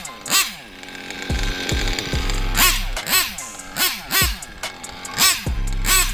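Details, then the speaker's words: Nitro RC engine during break-in with fuel tank low, before running out of fuel: smooth high-pitched buzz through repeated rev blips, unstrained, no rattles, not lean; healthy running. "And focus on how the idle behaves once it comes down. Thus far, it doesn't sound like anything is being stressed."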